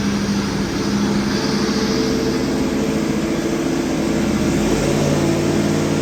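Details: Freshly rebuilt Ford FE 390 big-block V8 for a 1967 F100, on the dyno with Aces EFI, first fire-up; deep, even running with steady firing and smooth rev changes, no knocks or misses; normal running.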